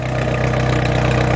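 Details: International Scout with 196 four-cylinder (half of International 345 V8), foggy Pennsylvania morning, water vapor from stack, doesn't burn oil: smooth, regular low putter at steady idle, even pulses, no stumbling.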